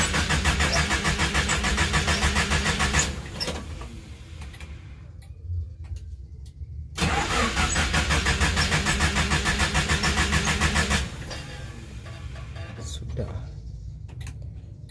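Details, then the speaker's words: Mitsubishi Colt T120, morning start after sitting unused; repeated even starter cranking with no firing, turns over but won't start; owner suspects carburetor setting, dirt or electrical trouble. "Saya coba starter terus Bismillahirrohmanirrohim Nah itu kalau sudah tidak mau hidup Ya udah nanti aja nanti paling pun hidup sendiri dia ngambek"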